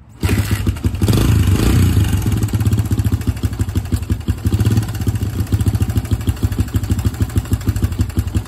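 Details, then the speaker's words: 2005 Suzuki DR-Z125, 125cc air-cooled four-stroke, spring-loaded adjustable cam chain tensioner: loud, rapid metallic top-end clatter over the idle after start; owner suspects slack timing chain, bike otherwise rides and shifts fine, no smoke. "loud can you hear that clattering going on in there I just shut it off but I said hopefully you guys heard that clattering noise I was telling you about"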